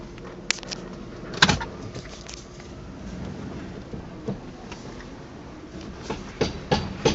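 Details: Sharp, irregular pops and snaps a few seconds apart from the front end over a quiet background; cause unknown.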